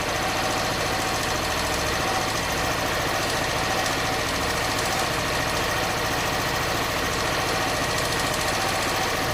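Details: Honda Bros 160 motorcycle, engine noise persisting after four warranty visits: steady single-cylinder idle with a fast, even ticking knock riding over it throughout; source of the knock unclear.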